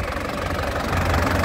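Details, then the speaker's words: 2012 LV Turbo diesel, low km and rarely used, no blow-by, engine already warm from recent driving: even, crisp diesel clatter with steady low thrum, only normal injector rattle, no misses or knocks; normal idle. "Ini suaranya masih kental ya. Suaranya masih kental. Stasionernya juga enak, renyah ya."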